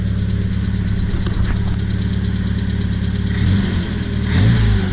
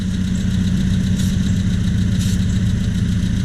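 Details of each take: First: 1978 Triumph Spitfire with Weber intake manifold, stalling and losing power when warm: the idle stumbles and shifts pitch only when one manifold corner is sprayed; intake manifold gasket vacuum leak, confirmed on teardown. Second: 1978 Triumph Spitfire that loses power when warm, after a new distributor and new intake/exhaust manifold gasket: smooth, even idle at about 800–900 rpm with no hunting; brake-clean spray shows no vacuum leak; normal idle.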